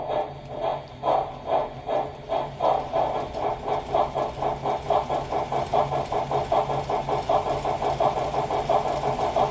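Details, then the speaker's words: Lionel 6-38071 Southern Pacific AC-12 Cab Forward on the test track after Odyssey speed control repair, powered by a CW-80: steady motor hum with quick even pulsing, no stutter or surging; running smoothly. "all right hey that is smooth as butter let's wind it up a little bit"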